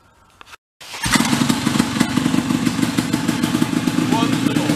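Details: Vintage big air compressor's small engine, previously stalling under load, after repair: settles into even, steady putter about four beats a second, no hunting or stalling; running right.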